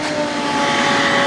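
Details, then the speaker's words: Nearly new roadside-found shop vac, probably brushed motor, switched to medium speed: louder, steady, even whine with smooth airflow rush, like a high-end commercial upright, no rattles or surging; normal running. "so switch it over to medium speed and demonstrate that it is a little bit louder than it is louder and it this is like um this is like your highest and commercial uprights the sound level suction power it's pretty good"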